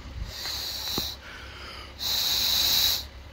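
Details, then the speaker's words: Removed evap canister from a 2011 Jeep Wrangler, replaced for a small evap leak: two bursts of sharp high hiss as air is blown through, escaping past the rubber seal held by four clamps; air leak hiss. "You can hear the air escaping. It's the only thing that's holding it down, those 4 clamps."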